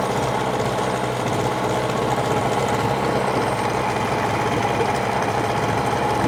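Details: Hangkai 18 hp two-stroke outboard, new after a year parked, at fast idle during 10-minute break-in, run in a trash can with no load, extra oil in gas; steady even buzzing, no knocks or misses, healthy.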